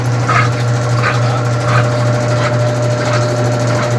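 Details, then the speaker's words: Brastemp BWG 11 kg washing machine spin after replacing all suspension rods: even hum with soft swish about every 1.4 seconds, drum centred and no longer hitting the side; slight tub sway from thin suspension rods remains, normal. "Mas a centralização do cesto aqui já ficou boa. Tá ótimo aqui. Praticamente está normal aí, tá? Não está encostando aqui, ó, no lugar que estava batendo do lado."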